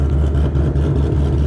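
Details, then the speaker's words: Tuned car with a "ghost cam" multi-tune idle setup, logged at idle for several minutes: a deep, uneven chop, the beat loping and stumbling rather than steady, the intended cam-style idle. "so but yeah it's definitely a little choppy chop"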